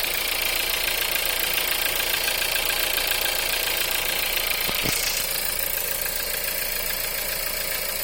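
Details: 1.4 TSI EA211, cold engine; idle with a brisk even tapping about three or four times a second over the engine note. Knock when cold.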